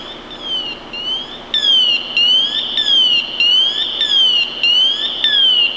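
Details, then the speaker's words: Scott Air Pak SCBA maintenance check, PASS alarm test 2: left to go into full alert, with a loud shrill warbling alarm sweeping up and down in repeating bursts, then reset by pressing the button twice slowly. The manual alarm check follows. Normal. "our second check is to let it go all the way off into full alert mode and we're going to hit the reset button twice slowly to turn it off"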